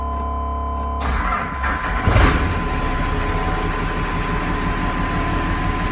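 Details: 1996 GMC 3/4-ton Suburban with a Cummins diesel swap and exhaust brake: catches after a short crank, settling into a steady even idle clatter with a deep rumble; onboard air compressor running but barely audible. Normal diesel idle.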